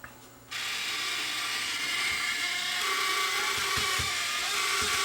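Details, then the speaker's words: Sony DSR-11 DVCAM deck in fast forward: thin steady high screech with mechanical chatter; reel motor ruled out by touch (no vibration), owner thinks the capstan motor is screaming. "I think it's the Caps the motor that's streaming"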